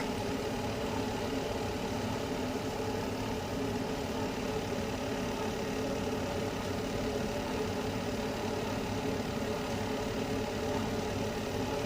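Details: Carrier Infinity 96 (58MVB-080) condensing gas furnace with four burners and ECM blower, running in heat mode on low stage after a recent burner realignment; even, steady rumble and whir, no rattle or surging; normal low-stage running.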